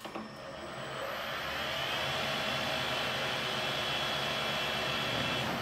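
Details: PM-1440GT lathe with a new Marathon E470 3 hp 230 V motor on a Hitachi WJ200-022SF VFD, replacing the cogging stock motor, in medium gear M4: whine ramps up over a second, then holds an even pitch, no rumble or rattle; normal motor run.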